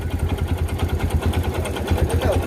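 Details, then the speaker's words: Kawasaki Barako 2 single-cylinder motorcycle engine idling: loud, regular metallic knock from a worn connecting rod, previously mistaken for timing chain noise. "So connecting red talaga siya mga idol no. Grabe ang ingay nito kanina."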